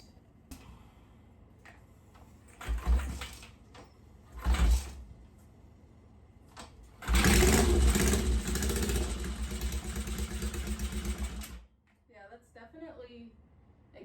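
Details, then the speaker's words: 1963 Honda CL72 Scrambler twin after carburetor swap, exhaust collars not tightened flush at heads: after false kickstarts, fires several seconds with sharp raspy puffing chuff, likely exhaust leaking at header collars. "coming out of the headers or the heads."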